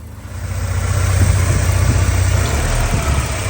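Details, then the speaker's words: 1984 Porsche 944 that breaks up and won't rev above 2,500-3,000 rpm: at idle it runs perfectly, a steady even low rumble with no misses or knocks. "Start it up. Runs and idles perfect."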